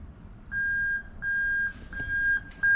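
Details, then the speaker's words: Lexus LS430 3UZ-FE VVT-i harness in an IS200 with J160 manual gearbox, reverse switch plug bridged: a clear high-pitched beep repeating about every 0.7 seconds. The reverse circuit works properly. "right so you can hear the beep so we know the reverse circuit's working absolutely fine"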